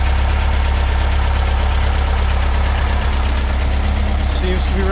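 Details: 1967 VW Bus with stock dual-port 1600 air-cooled engine after supercharger kit install, exhaust leak fixed and timing set: steady low thrum with even beat about three to four per second, no exhaust puffing; healthy idle.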